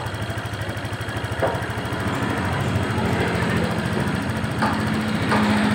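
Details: Honda Vario 125 fuel-injected scooter, brought in for hard starting and stalling, after throttle body service and adjusting idle to about 1500–1600 rpm: a steady, even putter at a fairly high idle, about three beats a second, with no stumbling.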